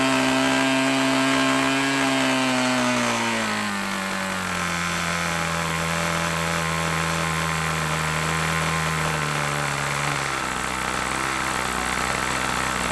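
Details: OS LA40 nitro glow two-stroke on a Balsa Max Thrust trainer, eBay engine stored months, first start after one turn, mixture leaned from rich: high buzzing scream drops smoothly as throttle eases, clean steady note without sputter; normal high-speed run.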